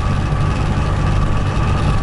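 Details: Trabant 601 with a €30 flea-market two-stroke engine, limping home after a piston seizure: a heavy, rough low rumble at steady slow speed with a coarse, uneven undertone; proper crank bearing damage, full throttle gives only about 17-20.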